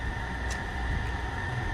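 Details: 2020 Infiniti QX60 3.5 L V6 at idle with cylinder 2 misfire (P0302) and raw fuel smell: uneven, lumpy low rumble. Dealer claimed a sludged engine; the cause was a stuck-open fuel injector.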